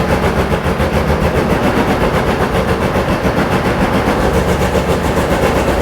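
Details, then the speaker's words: Porsche 911 2.8 RSR build on a Link ECU being tuned remotely, early running: lumpy, uneven beat and stumbling exhaust pulse, doesn't sound happy; individual header temperatures to be checked for even running; rough running, cause unconfirmed. "it doesn't sound happy but it's running nope I'll get my motor out and check the individual headers and see if we've got what even temperature"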